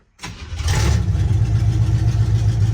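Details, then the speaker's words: 1976 Chevy C10 small-block 350, just swapped from 2-barrel to 4-barrel carburetor and intake, timing set for startup, choke cable not yet connected: catches almost instantly and settles into a steady, even low idle; normal healthy idle. "that sounds pretty damn healthy"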